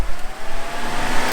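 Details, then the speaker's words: 2001-2005 Ford Sport Trac after electric radiator fan conversion with Derale fan and controller, fan switched on at high speed: kicks on into a strong, even rush of air with a low steady drone; runs smooth and fairly quiet. "As you see, it started blasting. And it's a pretty quiet fan for high speed."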